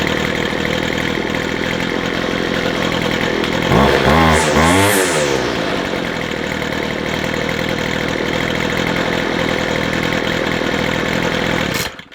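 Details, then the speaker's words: McCulloch 250C XL X-series two-stroke strimmer, restarted at tick-over after carburettor repair; fires, briefly revs with rising buzz, then settles to a steady even idle with no misfires; now runs fine. "Nice. I think we'll call that a win. So there we go. One used to be slightly unhappy Mchulloch Strimmer now runs perfectly fine for what it needs to be."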